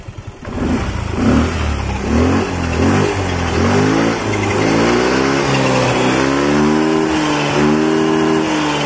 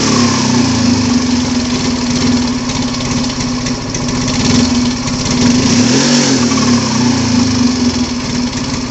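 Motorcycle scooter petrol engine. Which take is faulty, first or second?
second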